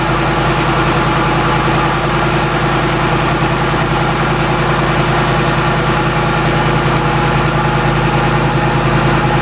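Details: Shelby Mustang GT500 after intercooler pump and burnt harness replacement and supercharger oil change fixed no boost; strong even running with steady low rumble and faint supercharger whine, smooth and healthy.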